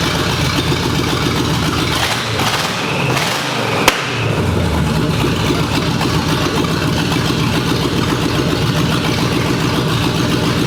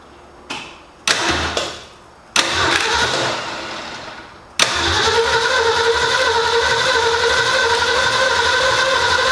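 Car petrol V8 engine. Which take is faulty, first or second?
second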